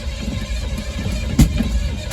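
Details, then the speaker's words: Chevy squarebody crew cab 350 with freshly installed distributor at TDC, unsure which stroke, engine primed with good oil pressure: cranks with a couple of sharp pops but won't start. Owner suspects timing 180° out; not confirmed. "Oh, no, popping, 180 out."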